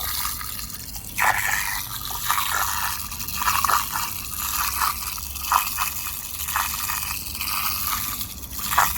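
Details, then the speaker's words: Old Beko washing machine drain pump run outside with too little gravity-fed water coming in: uneven oscillating watery pulses about once a second as water rises and falls back; pump starved of water, not faulty. "So it doesn't get enough water coming in for it to come through there. It does that oscillating, pulsating sound. That's the water basically going up so far and fall back in again."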